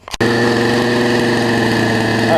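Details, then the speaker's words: Poulan Pro 18" two-stroke chainsaw revived from an equipment lot, before carburetor adjustment: steady high idle on choke, but it picks up and dies once the choke opens; owner suspects it's running too lean and plans to adjust the low-speed screw. "as soon as I do that the like picks up and turns off so think what might be happening is I just need to do a little carbon justement on it and let's see what we can do with it it's running on choke and won't run on a regular"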